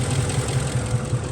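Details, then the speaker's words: Ford F-150 with an intermittent misfire on cylinders 1 and 6, codes P0356 and P0351, idling: an uneven, lumpy thump with the truck shaking. Loss of the injector signal on cylinder 6 is suspected, not confirmed. "ahí está la falla compañeros ahorita está temblando el"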